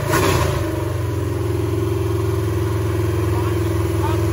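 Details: Super Stock Buick 350 V8 during camshaft break-in, after the distributor points issue was sorted. A strong, even rumble with steady firing pulses and no knocks or misses; the engine runs healthy and the cam appears not flat.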